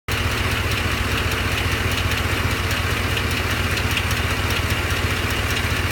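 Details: Truck at idle: steady idle with a sharp, regular tick about two or three times a second over the engine hum; owner suspects a cracked flex plate, unconfirmed.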